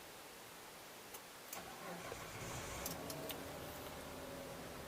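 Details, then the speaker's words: 2008 Mitsubishi Pajero Exceed 3.0 V6 automatic 4x4, recorded inside the cabin: at idle the engine is only a soft, even hum with no knocks or misses, smooth and healthy. "halus ya suaranya ya pastinya lah itu cukup halus"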